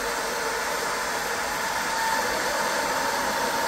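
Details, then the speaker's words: Top-mounted cooling fan on a 20 W diode laser module, phone at pencil distance, intake covered and restricted. A steady airy whoosh with a faint thin whistle as the fan strains to suck air. Fan airflow restriction noise. "really hear the Restriction of that and you can I can feel that being sucked down by the fan where if I gently hold this one on I [Applause] don't"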